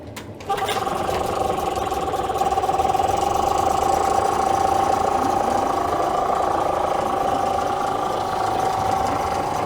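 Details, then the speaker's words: Chinese copy of a Tohatsu 5 hp outboard, started after gearbox and water pump reassembly: steady even idle, no knocks; tell-tale stream weak as normal for these motors, no thermostat fitted, motor runs well. "Термостат в этих моторах отсутствует как на Tohatsu, так и на китайских копиях Tohatsu. Мотор работает хорошо."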